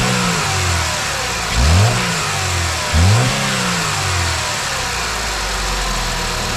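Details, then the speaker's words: 2009 Chevy Malibu idling with two throttle blips after the belt tensioner fix: smooth, even idle that rises and falls cleanly, with no rattle or squeak from the belt drive, which was earlier traced to a weak, shaking belt tensioner. Normal idle. "All right, here we go. Let's start it up, see how quiet it is."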